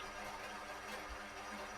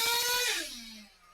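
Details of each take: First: ProTek-RC .21 Samurai RM nitro RC engine on dyno, 4th heat cycle, OS TB02 pipe with 75mm manifold, Nitro Pro JTP fuel, tuned from the rich side; fast, steady, even idle with no misses or surging: normal idle. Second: ProTek-RC .21 Samurai RM nitro engine on a dyno winds down from a screaming run after a clean-out and settles to a fast idle still set a little too high.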